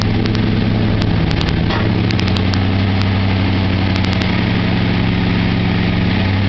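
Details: 1996 Ford Mustang GT V8 at idle, with BBK cold air intake, shorty headers, Bassani catted X-pipe and Flowmaster cat-back: deep rumble broken by sharp metallic knocks. A low-quality aftermarket crank pulley was shifting, and the crank threads stripped.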